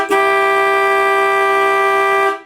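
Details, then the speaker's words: 1964 Dodge Polara 500 with its refound low horn fitted alongside the high horn, first blow: a loud, steady two-tone blast held about two seconds, clean and strong without rattle or wavering; the horns work properly. "Damn, that's something else there. I'm going to blow it again. Okay. Yeah, that's gonna get people out of the way."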